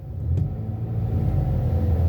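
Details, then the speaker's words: Car in park, revved with the gas pedal during checks after a no-start that was blamed on the battery: a low rumble climbs smoothly and comes back down with no misses, knocks or stalling; sounds good. "Everything sounds good when the engine is revving up, so it goes back down."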